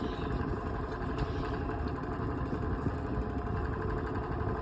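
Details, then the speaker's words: Vintage Dayton Lasko 16-inch oscillating fan on medium speed: continuous loose buzzing rattle over the motor hum, barely moving air; rattle cause not yet found, fan quiet and blowing well only on high. "Now, medium sounds horrible. This is just rattles a lot."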